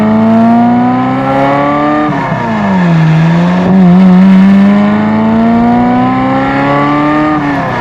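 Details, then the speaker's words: Euro-spec 1994 Ferrari F355 after spark plug and plug wire work; earlier hesitation/break-up up to 1500–2000 rpm now gone: pulls cleanly, revs rise and fall smoothly with even note; running healthy. "Completely gone. It's running super smooth now. Very nice. Sounds much better."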